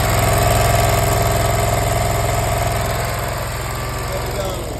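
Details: Zero-turn mower after new carb, air filter and spark plugs replacing fouled ones: engine runs smooth and even at steady idle, regular firing with no misses, settling slightly lower; running normally.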